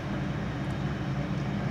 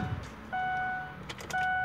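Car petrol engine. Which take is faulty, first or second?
second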